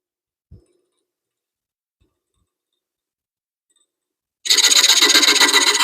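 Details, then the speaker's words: 1941 Craftsman jig saw after teardown, re-tightening and refilling with oil: after a quiet pause, a fast, even rasping stroke bites into wood with no clunks or knocks; a lot smoother than before, cutting normally. "So let's see what it sounds like. Boy, that's a lot smoother than it was."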